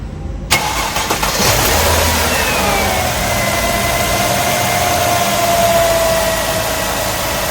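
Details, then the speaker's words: 2005 Mercedes-Benz W211 E260, about 70,000 km, after engine pulled for oil leak repair and gearbox overhaul: cranks, catches at once and settles into a smooth, even idle with fans and AC running; no knocks or misses, healthy. "mesinnya halus banget kan denger ini sini nih ini kipas-kipas semua hidup ya AC dan lain-lainnya induk nih oke suara mesinnya halus banget"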